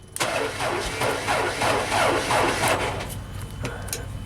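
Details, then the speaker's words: JLG 260MRT scissor lift with a weak battery, later on jumper cables: a sluggish, dragging crank at about three turns a second that fades without catching. Slow cranking from a weak battery. "I almost heard it. It cranks kind of slow. I don't like that."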